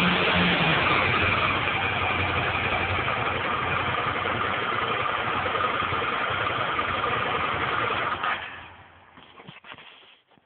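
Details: 2001 Suzuki SV 650 N V-twin at idle. A steady clacking tick of about 210 a minute comes from the rear cylinder over the exhaust until shutdown; the cause is unknown.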